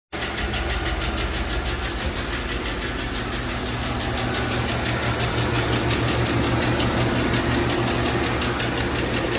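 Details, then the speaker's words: 2013 Chevy Tahoe 5.3 V8 with AFM idling with loud, steady ticking about three times a second from a collapsed valve lifter. "This thing is pretty bad, ticking pretty bad, it sounds like."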